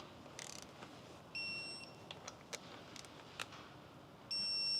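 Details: Subaru EJ257 STI engine rebuild, electronic torque wrench at 15 ft-lb: two half-second high beeps about three seconds apart over light clicks and handling, signalling target torque reached.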